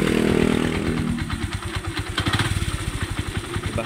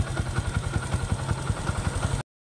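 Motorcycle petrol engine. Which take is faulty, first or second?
first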